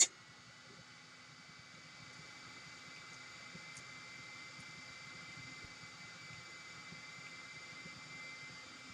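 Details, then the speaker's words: Parrot ANAFI drone after a week underwater, new motorboard and new battery fitted, at power-on: faint steady high whine over soft hiss as the motors and cooling fan spin briefly; normal startup check, the drone sounds healthy. "So I don't know if you could heard, probably you did. So the motors did its initial check at startup, and obviously the LED is working."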